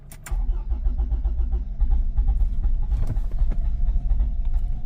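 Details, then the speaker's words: 2007 Toyota RAV4 with stalling, rough running and multiple circuit faults, first start after clearing codes: brief crank, rough catch, then uneven faltering running that tries to cut out; hard start. "okay so I'm tried to start the vehicle and it's G me a hard start the fan is running let's see what's going on again all right so it's starting and it's trying to it's like it's cutting off and if I step on the the gas is making an attempt"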